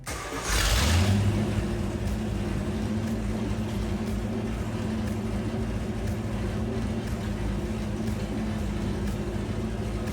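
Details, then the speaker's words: 1963 Chevy C10 small-block V8 being restored, started after fitting 2.5-inch exhaust manifolds with downpipes; it cranks, catches and settles into a deep loping idle of even pulses, about three a second: normal idle with cam lope. "The back and coming out of that exhaust finally sounds great. You can start to hear the chop of the engine."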